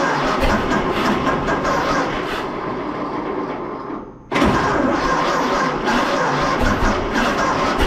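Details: 1926 Seagrave city service ladder truck, 1013 cu in "F" six-cylinder, just started after 10+ years sitting, no work done beyond battery and gas to carburetor; catches after brief stall, runs with uneven stumbling beat, missing on one or two cylinders.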